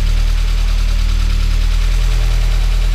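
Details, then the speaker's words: Spec Miata engine at start-up: a low, lumpy idle with an uneven thump and a faint knock, more than lifter tick. A timing light shows the ignition timing is completely off the scale. "That's not good. That's more than lifter tick. Something's not quite right."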